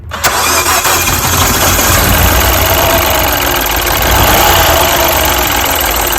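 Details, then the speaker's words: Mini with pencil ignition coils, engine idling with engine cover off: uneven, lumpy idle with irregular stumble, misfiring badly; traced by unplugging coils one at a time to a failed ignition coil. "and as you can hear this car is misfiring badly so we're first gonna check our cylinders"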